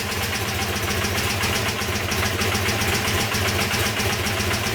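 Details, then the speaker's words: Honda CB250N twin, stone cold on choke, after backing the right carb's idle screw out 2.5 turns via the float bowl: steady, even idle with both exhausts warm, showing both cylinders now firing. "that's running both exhaust are War okay"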